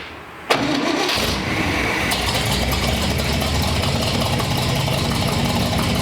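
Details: 1958 Chevy Apache truck, V8 with 4-speed manual, run during rejuvenation: cranks briefly, fires at once and settles into a steady, even idle with no knocks or misses; sounds healthy.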